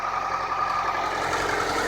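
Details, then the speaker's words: 1997 Acura Integra, B18 engine with automatic transmission, idling with a loud, fast, hard clatter like a diesel truck; blown head gasket with oil coming up, antifreeze smell and steam, rod knock suspected. "still sounds like a train like a [ __ ] diesel truck guys"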